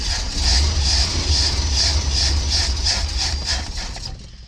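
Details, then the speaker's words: Crank, no start on a custom 1979 Ford Pathfinder Quadravan 4x4 with a newly fitted carburetor, choke propped open. Steady cranking at about 2.5 beats a second, no fire, then fades. Owner suspects fuel starvation; the fuel pump used to pump fuel. "Yeah, it ain't getting fuel. This is funny because the carburetor fuel pump used to pump fuel."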